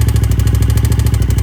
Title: Ticking sound in tl1000s